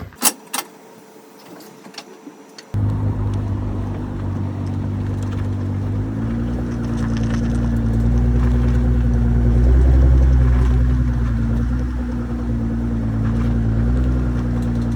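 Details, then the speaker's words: 2017 Nissan GTR after reverting a half-inch-thick setup to stock and torquing lug nuts to 94 ft-lb: smooth engine drone as the car moves, no metallic clicking from the front wheel in turns; clicking fixed. "Looks like it worked. Still surprised. I'm not really sure exactly what's going on that causes that metallic clicking."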